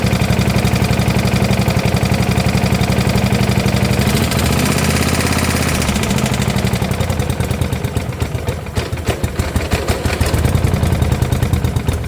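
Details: 1972 Gravely 816 with Kohler Command 18, running after carb modification: loud sharp knocking about three per second over rough running, worsening as it labours. Cause not confirmed; motor judged pretty much blown up, likely why parked; power steering not working.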